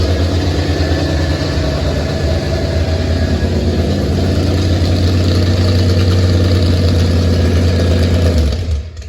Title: First fire of Roxanne , with the old mill . Had a stuck needle & seat & a vacuum leak . Fixed now